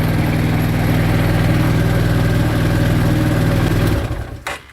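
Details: 2013 CF Moto Z6 single-cylinder, fitted with a new starter and relay after a no-power-to-starter fault. It starts right up and gives a steady, even idle putter for four seconds before being switched off: running normally.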